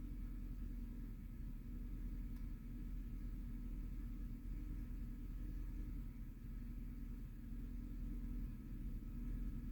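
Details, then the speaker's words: 2009 Chevy Silverado 5.3L V8 idling with a low, slightly uneven rumble; cylinder 2 misfires from a burnt, closed-gap spark plug that moved the misfire when swapped from cylinder 6; plugs need replacing. "el problema aquí es la bujía está un poco cerrada y ya está muy quemada diría ya necesito reemplazar las bujías pero La número dos la bujía que está en el cilindro dos es la que está dándome fallas"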